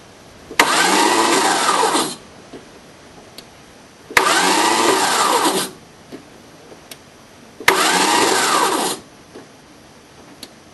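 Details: 1981 VW diesel pickup jumped from a Chevy diesel with 2000-amp batteries, four-month-old Napa starter: three short, even cranking bursts at about four beats a second, never catching. Solenoid cold afterwards. Cause unknown.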